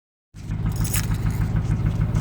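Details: 2005 Ram Hemi V8 at idle: deep, evenly spaced knocking keeping time with the crank; rod knock from the bottom end.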